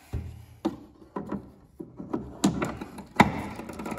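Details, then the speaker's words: Honda self-propelled lawn mower rear wheel after greasing the drive key, ratchet and spring; uneven dull clicks as the wheel is turned by hand, slightly quieter after greasing: normal wheel ratchet clicking. "now it's a little bit quieter and that noise will never go away and it's actually after your first cut it's going to be probably just as loud as it was but now we know we have sufficient lubrication for most likely a year depending on how much grass you cut"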